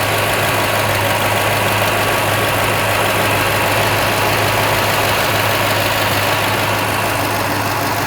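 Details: Old Toyota Tundra V8 idling during intake spray test for a bank one code, no change: slightly uneven loping beat, no knock, running rich; AC cycling causes some variation; diagnosed as an inaccurate mass air flow sensor.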